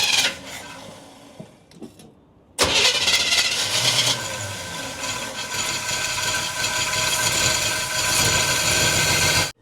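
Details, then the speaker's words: 1976 Chevy half-ton parked for years, fed fuel from a can through the fuel pump: starter cranks about seven seconds with uneven churning but never catches; the old mechanical fuel pump isn't pulling fuel. "I'm going to pour some Marvel down this hose and maybe we can wet that diaphragm cuz sometimes they get real dry and they lose their Prime and then they don't want to give the vacuum"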